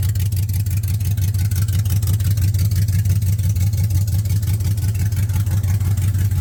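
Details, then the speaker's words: 1979 Camaro with LS swap: loud, deep V8 note with an uneven, lumpy pulse about three times a second; rough running with the exhaust open, no pipe fitted. "let's see if we threw any more codes watch it's going to say shift solenoid A and B garbage and it's it the like I said it doesn't have any exhaust pipe"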